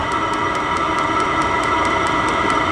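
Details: Vevor diesel heater for an F250 overland build on lowest temperature setting, fuel pump speeding up: steady turbine-like roar with light regular pump tick about four or five per second, exhaust heating; burning cleanly, normal running.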